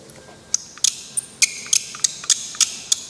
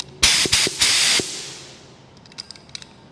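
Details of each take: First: Dirty spray gun being stripped down (cap, tip, nozzle, baffle): short high chirps about once a second as parts unscrew, dry unlubricated threads squeaking, which is not good and will wear them. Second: Spray gun after strip-down, cleaning and lubricating needle, knobs and threads, plugged back into air: sharp bursts of air hiss when triggered, then silence between, no leaks.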